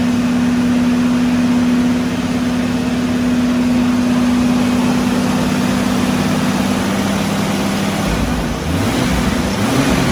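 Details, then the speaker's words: Restored Jurassic Jeep #73 engine during break-in on first run after reassembly; steady even fast idle, eased down and back up near end, smooth, no knocks or misses: normal. "so at this point we just continue to go through the braking procedure raise the rpm lower it uh i think it was about 20 to 30 minutes until we were satisfied and ultimately shut it down"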